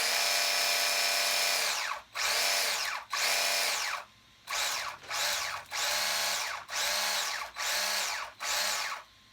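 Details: RC Sweet Tooth truck build: newly installed motor with replacement gear set (old gears didn't fit or work), motor wires swapped, bench test; repeated short bursts of high motor whine spinning up and down, clean with no crackle or gear grinding; normal gear mesh.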